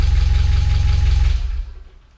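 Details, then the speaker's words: Spec Miata engine, first starts; spark or firing order suspected wrong, fuel lines possibly reversed: runs briefly with uneven, lumpy low beat and stumbling pulses before shutoff; rough idle. "Kill it. Or don't. Still not quite right. Yeah, kill it."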